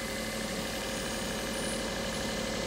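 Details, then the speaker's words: Daihatsu Charade petrol engine swap with a new inlet manifold replacing a snapped plastic one: steady cold idle around 1500 rpm with a thin hiss from a slight intake air leak. Idle now settles well despite the vacuum leak. "we've got a leak well that settled down lovely even with the slight air leak we've got the idle back that we didn't have before"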